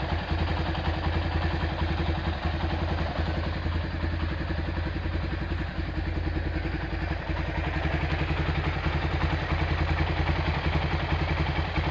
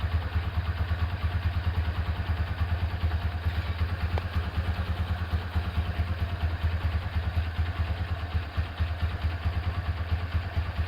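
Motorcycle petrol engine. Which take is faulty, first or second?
first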